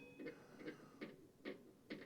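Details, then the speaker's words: Craftsman Z530 zero-turn mower deck, belt off, spindle spun by hand: gritty rasp each turn; customer complained blades sound rough when engaged; worn spindle bearing. "spin our spindle, can hear that uh it's a lot of noise out of it."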